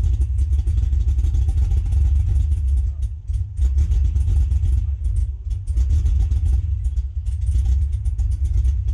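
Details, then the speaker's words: Cadillac CTS-V with LS V8, abandoned car just fitted with battery, first start in person; fires right up but idles low and lumpy, sagging, then shuts off; fuel pump to be primed again, cause not yet known. "wow fires right up she's idling a little bit low"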